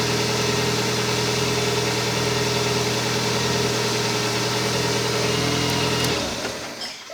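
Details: Kia Spectra at idle: steady high whine over an even idle that drops out when the engine shuts off; bad alternator.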